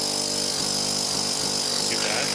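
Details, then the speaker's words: 12-volt Thomas-type vacuum pump for electric car power brakes; constant high buzzy drone with hissy rush from the open outlet; loud discharge noise, no muffler. "bit noisy I think I'm gonna add a muffler on the discharge but a bit of noise from that"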